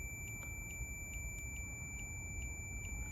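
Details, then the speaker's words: 1972 Suzuki RV90: multimeter continuity beep keeps sounding with the old contact points opened, meaning the points are shorted and need replacing; new points then tested. "So, I'll open the contact. And you hear that the sound is still going on."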